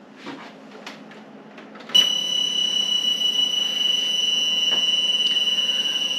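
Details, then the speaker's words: Several audio devices plugged together via USB audio mixer for recording/streaming: piercing steady high-pitched buzz/squeal cuts in over hiss from a ground loop; solved with a direct box and hum eliminator isolator. "when you plug it all together you get a crazy buzzing sound that sounds a little bit like this"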